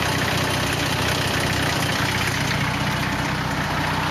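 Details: 240 KA-T engine at idle: a steady idle with a loose, uneven tapping over the engine note; abnormal noise, source not clear.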